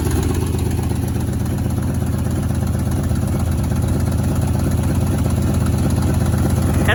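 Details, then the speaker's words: 1977 Ford F-150 with 302 V8, first running after sitting 19 years, intake recently off, old plugs still in (new plugs planned): steady idle with regular low pulsing and uneven beat, a cylinder dropping out; misfire at idle, cause not yet found. "fun piece of automobile equipment you can really you can really hear the misfire"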